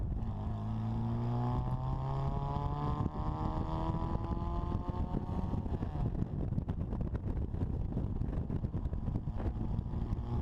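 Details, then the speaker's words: Supercharged 1960 Bugeye Sprite, pulling hard under higher boost than before, stumbles into fluttering and backfiring breakup, then returns to normal as revs climb; fuel or ignition cause still unknown. "what you should be able to hear is some fluttering and some backfiring and then as i rev the engine you hear that it comes back to normal"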